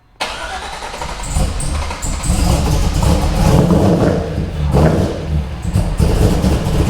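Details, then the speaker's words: Freshly built Corvette V8 with a custom blower cam, on its first start after reassembly: the starter catches fast, then a deep, lumpy idle with a couple of blips. It sounds healthy; the smoke is hoped to be just residue burning off. "so you don't know how relieved i am then it actually started it sounds good"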